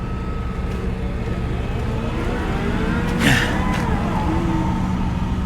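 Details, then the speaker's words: 2009 Ford Crown Victoria ex-police car from a salvage auction, listed as a non-runner, jump-started: runs steadily and quietly with a brief rev blip that settles back cleanly. Normal running. "And there you go, boys, she runs. I knew this thing would run. It runs good too. It runs really, really well. She is quiet."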